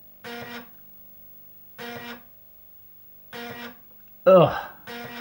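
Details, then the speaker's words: Amiga 500 floppy drive making its normal seek noise while waiting for a disk: short buzzy bursts about every one and a half seconds with quiet gaps. "listen to that disc drive just listen to that noise just listen to the noise while I'm waiting for a disc"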